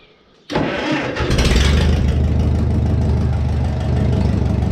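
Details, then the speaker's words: 1950s Case 400 gas tractor with loader, battery cables still loose; catches after a brief crank and settles into an uneven, lumpy idle; runs really rough when cold, smoothing out once warmed up; cause not evident. "when you first start it up it uh runs really really rough and then i guess once it warms up it smooths out starts running just fine"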